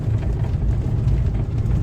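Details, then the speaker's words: Lada Kalina driven over stones after steering column repair (washer in electric power steering fixed): steady low road rumble, no knocks or crunches; steering quiet, repair successful. "Спеціально їду по камінцям. Не стучить нічого. Не хрустить."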